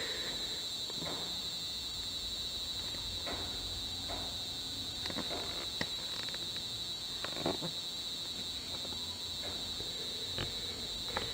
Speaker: so you can see there's an LED that's blinking and then you can hear the buzzing sound that's how they're like supposed to you know respond